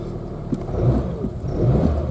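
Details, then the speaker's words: Citroen Saxo, 17 years old, 140,000 km, automatic gearbox, cold start after sitting a couple of weeks: low, even idle with a couple of gentle rises in revs, no stumble or rough running; normal cold idle before warm-up. "give it a fire up now that's pretty astonishing because that's the first time I've fired up in the last couple of weeks and it hasn't gone rough"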